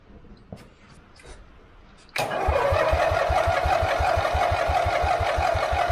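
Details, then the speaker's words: Forgotten lawn mower being revived after the engine was unseized with vinegar, with battery issues: small engine chugs about three times a second while cranking, trying to catch but never running; hard starting, plugs and fuel to be checked. "it sounded like it wanted to start we're having battery issues right now"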